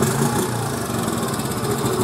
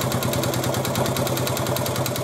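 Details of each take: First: 1986 Honda TRX 70 air-cooled single after a top-end rebuild, head bolts torqued to 9 ft-lb. It buzzes along at a steady, even, quiet idle with no misses, no smoke and good throttle response; it sounds healthy. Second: 1986 Honda TRX 70 after a top-end rebuild, first start with choke on: a sharp, regular knock about three per second over the idle. At first thought to be the valves, it was later found not to be the valves.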